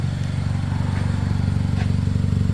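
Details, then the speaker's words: Kia Rondo at idle, previously fitted with a new flex pipe and catalyst welded to the original exhaust: low rapid puffing at a pipe joint where an apparently lost fastener damaged the gasket; bolts and gasket to be replaced. "This joint here is the cause of our noise."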